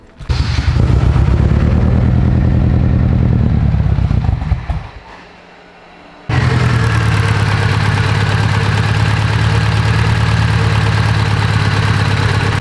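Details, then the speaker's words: AWD Civic Type R build, idling after a spark plug causing a bad misfire was fixed: revs rise and fall cleanly, then a steady even idle with no stumble or miss; sounds like a real car now, normal idle. "you guys can already tell it sounds way better it definitely was misfire pretty bad yesterday now it sounds like an actual real car"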